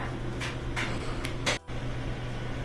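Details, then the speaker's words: GE dryer after new front bearing, idler wheel, glides and felts plus lubrication, empty: steady low drum hum, smooth even rotation with a few light taps from something loose, no screeching; normal running. "So there's, without the zipper, pretty smooth running now. We changed out these glides and lubricated everything. That did the trick."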